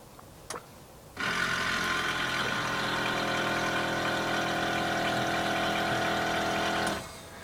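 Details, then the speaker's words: Cadillac 4.6 L (289 ci) V8, cold 9°F morning, key on and engine off, recorded at the rear: a steady, even electric compressor hum with a faint buzz for about six seconds as the rear air shocks inflate; normal air suspension compressor. "It's inflating the rear shocks for that smooth ride."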